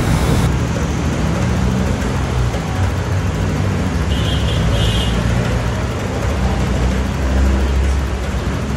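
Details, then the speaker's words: Honda Click 125 scooter after repair of its bogging and stalling: revs rise cleanly and evenly, climbing quickly with no stumbling at high RPM. "bale dinadahan-dahan ko yung Revolution niya pero hindi na siya humahagok sa High RPM so sa 25 mabilis na siyang umangat dire diretso na yung kanyang RPM So hindi na siya humahagok"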